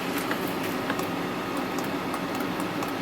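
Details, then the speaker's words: 1995 Mercedes S500 W140 power seat adjuster: sharp, irregular clicks over a steady motor hum while the seat runs; seat drive clicking, cause not determined. "can hear them clicking here but it's not oh well it's pulling down it's wanting to pull up"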